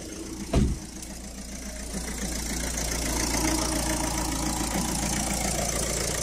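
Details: 2011 Citroën Picasso diesel before repair: a thump on start, then an uneven, lumpy idle with a loose rattle; smoke and rough running from a faulty diesel rail pressure sensor, cured by replacing it.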